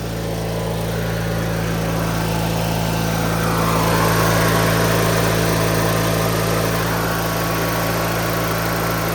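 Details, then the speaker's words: 2003 Craftsman (AYP) DYT4000 lawn tractor (hydro, electric PTO, GT5000 hood) with blades kicked in; even, steady single-cylinder drone with firm low beat, no misses or knocks, smooth and strong. Normal running. "Runs good though. Starts right up. I might need choke now. Let's see. Runs strong."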